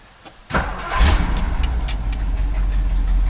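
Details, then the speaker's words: 1964 Mercury Park Lane Breezeway V8, completely cold start: brief crank, catches at once and settles into a steady, deep, even idle, smoking much less; exhaust leaks remain on each side; normal cold start. "starts right up what do you guys think"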